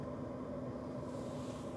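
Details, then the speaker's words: Old yellow farm truck that only clicks on start; cabin AC blower motor runs smoothly with a steady even whoosh and faint hum, no rattle or scrape, working normally. "does our fan work oh yeah we got AC already blowing all our spider webs around"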